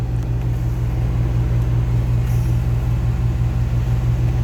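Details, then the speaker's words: 1988 XC, just fired from a cold start: steady low rumble held at a high idle while cold, oil pressure good, tachometer broken; normally run about 10 minutes to warm. "oil pressure is good um as you can hear it idle's high uh tachometer is broken"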